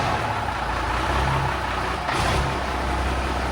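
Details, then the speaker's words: Peterbilt 359 diesel after rebuild: deep, steady rumble with a sharp air hiss midway; runs smooth and far better than before. "Oh yeah, this is good. This thing sounds a hund times better."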